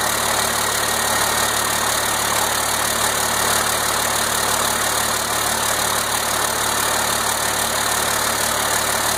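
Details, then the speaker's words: 1992 5.9 12-valve Cummins diesel, first start after a complete rebuild, fired once 12 volts were connected to the fuel solenoid: steady, unbroken idle with a hissy top end, no knocks or stumbles; runs cleanly. "anyway this is a a 1992 2 12 valve cumins Diesel and this is the first start since it's rebuild and I'm going to I'm going to show you what it sounds like right now"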